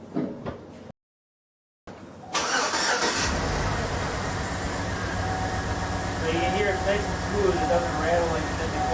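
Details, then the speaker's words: 2007 GM 5.3L V8 with displacement on demand (AFM) that had lifter ticking from a collapsed lifter, now with DOD programmed out by a tuner; cranks, catches and settles into a steady, even idle with no valvetrain ticking. "I had my my guy come over and do the tuners box on this thing he programmed out the displacement on-demand and now I'm able to fire the thing up and I should run perfectly fine should be no problems at this point"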